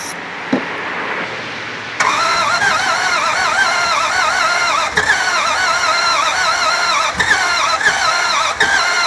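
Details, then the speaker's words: Non-running 2003 Dodge Ram 1500 4.7, cranked with starting fluid after a weak fuel pump was suspected: uneven, labored cranking with a clunk repeating about three times a second, never catching. No start; code P0032 set afterward. "i don't like that repeated clunk either hmm i think i bought a turd"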